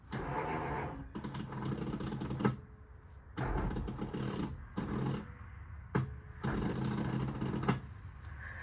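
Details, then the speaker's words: 1946 Ford donor car, in neutral with clutch in: three rough cranking bursts with harsh rattly grinding, engine never fires; owner suspects the starter gear is going out. "so I'm not sure what that sound is but I don't think it's very good so to me it sounds like the gear on the starter is going out"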